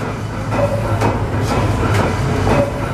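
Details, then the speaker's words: 1914 Snow gas compression engine, rated 120 RPM, run at half speed about 60 RPM under governor: slow even thumps about twice a second over low steady rumble; running smoothly. "The rated speed is 120 RPM. We'll run it at half speed here, about 60 RPM."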